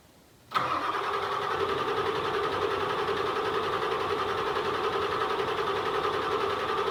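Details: OBS Ford 7.3 Powerstroke diesel after the injector replacement: it starts instantly and settles into a steady, even clatter with a constant drone and no misses. The fresh injectors run cleanly, though initial smoke is expected.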